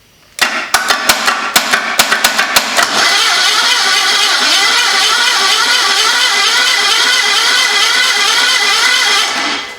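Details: 1974 Datsun engine in homemade motorcycle trike, first start attempt, about 30 psi compression (rings suspected stuck), spark plug out: starter cranks in uneven pulses about three seconds then steady high whir, never fires; starter acting up.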